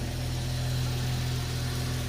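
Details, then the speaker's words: 2001 Jeep 4.0L six, cold start at about 39°F, a couple minutes in, after Restore oil additive: smooth, even low idle with no chatter or knock that used to last minutes; a little clutch noise is normal. "now now we're about a couple minutes into startup and I can show you you'll see so right now it would normally be chattering quite loud my clutch makes a little noise"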